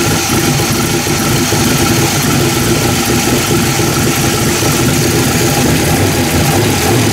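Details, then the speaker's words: V8 bench-run after bolting on and tuning a 750 Holley carburetor: steady even fast warm-up idle around 1700–1800 rpm, no misses, stumbles or hunting; normal idle. "Alright, there she is. She's good to go. Tuned in."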